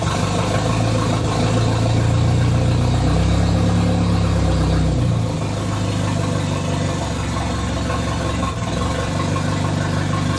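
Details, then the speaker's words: Idle on the "!200" engine after exhaust cut: uneven, sagging, stumbling beat every few seconds, as if starved of fuel, though fuel pressure holds about 38 psi at idle. Misfire at idle, cause unknown. "I would swear it's running out of fuel but it's sitting at 38p a die"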